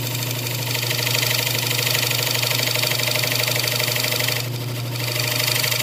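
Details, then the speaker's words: Wood lathe turning a junk poplar slab into a bowl, near final depth: steady motor hum with a regular throb about three times a second, a wobble as the piece has likely warped slightly. "you can hear that wobble in it I think our piece has warped a little bit"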